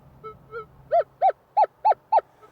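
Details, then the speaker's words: Minelab Equinox metal detector in Prospecting mode, recovery speed 5–6: two soft beeps, then five louder, evenly spaced warbling tones, a faint signal from a tiny target. "When you start dropping it down lower, it starts amplifying the sound of the tiny small stuff. So you see that's rapid, you don't need much more than that."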